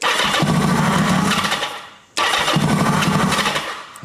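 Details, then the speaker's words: 1980 Kawasaki KZ750 motorcycle with carb fuel leak: engine catches and roars while cranking, then dies twice when the start button is released; won't keep running, owner suspects spark/ignition issue, unconfirmed. "Man, it sounds like it's firing right up, though. Then I let go of the start button and we lose it."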